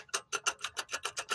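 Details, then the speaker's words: Front end of a 2008 BMW 528xi: quick dry metallic clacking, about seven a second, as the broken front CV axle is rocked by hand; its rubber boot is off and broken. Customer heard clunking and rattling from the axle vibrating. "So, what the customer was hearing was the axle vibrating and everything."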